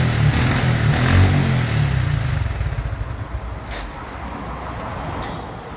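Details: 2014 Honda Wave110i, hard to start, dies off throttle and won't rev. Engine note starts strong, then sags and fades unevenly instead of climbing with throttle; bogging, with a faulty fuel injector suspected.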